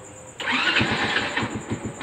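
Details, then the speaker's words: Honda motorcycle with a newly installed hidden kill switch turned back on. A brief starter whirr, then the engine fires and holds a quick, even putter at idle; it starts and runs normally. "Ayan, umandar na. Kasi naiwan natin yung kill switch."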